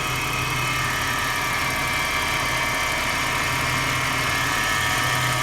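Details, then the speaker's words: 2000 AU Ford Falcon at idle: a constant high whine and hiss at fixed pitch from the idler and tensioner pulley area. The belt is grooved and the water pump weeps slightly. Diagnosis is worn idler/tensioner pulley bearings; both pulleys, the water pump, thermostat and hoses were replaced. "I'm experiencing some whining noises, so I'm thinking it's probably the pulleys or the power steering pump. I'm not quite sure. The noise is coming from this direction here, the idler or the pulley, the tension pulley."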